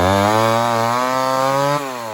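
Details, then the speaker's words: Homelite 1050 100cc two-stroke chainsaw with 404 chain, first cut in wood: high steady scream that sags under load, running lean and without power even when richened; owner suspects a serious air leak. "well that 1050 isn't running so hot guys um i keep riching it up and it's still running like it's lean so we got some sort of a serious air leak going on it's got no power no nothing"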